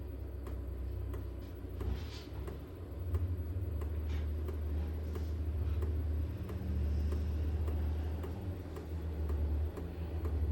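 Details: HCALORY 8kW toolbox diesel air heater on diesel, lighting during startup and getting louder as it begins to run, no warm air yet: sharp, regular ticks about four a second over a low rumble, the fuel dosing pump clicking normally.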